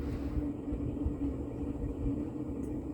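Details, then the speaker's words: Mid-1980s Montgomery Ward Evergo 48-inch spinner ceiling fan, model 4E-3LW, on its original solid-state control at medium-high speed: a steady low rumble with a faint hum. It is bearing noise rather than motor noise, possibly from long continuous running. "i take back what i said about having a motor noise that actually the motor isn't that loud it's more bearing noise than motor noise"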